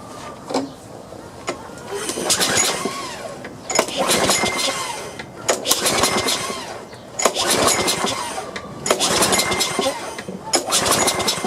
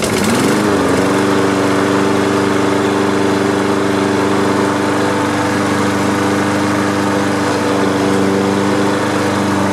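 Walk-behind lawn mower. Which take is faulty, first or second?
first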